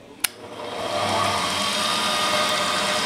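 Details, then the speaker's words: 1932 Jones and Shipman drill press, about 80 years old, 1/4 hp motor at 1725 rpm, open bearings: switch click then smooth, quiet, steady hum with no knocks or grinding; normal running. "listen to how quiet that is. That's crazy for 80 years old."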